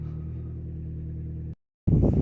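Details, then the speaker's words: Vauxhall/Opel Corsa at idle: deep loud rumble with a coarse blatting edge, no muffled tone; reported as sounding like a wheelbarrow, the exhaust is broken and leaking, needing a new system possibly from mid box back. "i was told it sounded like a wheelbarrow but that doesn't sound like that sounds like the exhaust to me but maybe he's got two problems"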